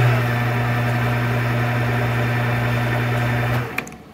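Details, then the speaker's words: Monarch 10EE lathe after spindle drive and noisy gear train work, in threading mode at 500 rpm: steady low hum, even tone, faint whir, then spin-down; far quieter than before, slight noise source still unknown. "all right so i don't know i don't know what it could be but definitely tons quieter"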